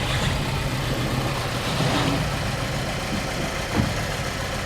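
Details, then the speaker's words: Nissan Juke with a misfire in cylinder 2, before spark plugs and wires are replaced: the petrol engine idles with a low, slightly uneven puffing beat. "You can hear it. Hear that misfire? It's puffing along."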